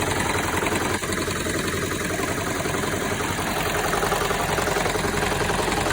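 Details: 2007 Toyota Prius at idle: rough uneven idle with busy clatter and shaky beat from all-cylinder misfire; resolved by cleaning clogged fuel injectors.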